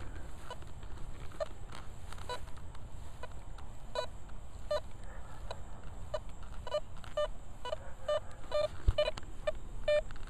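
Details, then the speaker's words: Velox 1 metal detector in a park: faint, choppy beeps about one a second over soft hiss, repeating but breaking up rather than ringing clean; iffy target, owner suspects super deep or super tiny. "It's repeating. Let's kick it up to 2. It's doing what that foil did last time."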